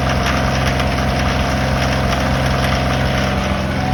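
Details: Kioti tractor diesel at idle: loud clatter with a steady rhythmic tick about three per second. The dealership service manager calls it normal for Kioti engines, while a private buyer says it is not; source unclear.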